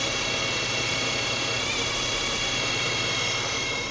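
A steady high-pitched whine holds constant over the running vehicle for the whole clip; abnormal whine, source not yet pinned down.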